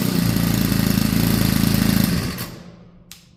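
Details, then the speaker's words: Craftsman WS4200 30cc four-cycle weed eater after carburetor replacement with a cheap Amazon carburetor, started with no throttle after three pulls: clean, even buzz, no stumbling or bogging, drops away smoothly when cut; running healthy. "well there you go started after three pulls there's no bogging down so I'm happy with it"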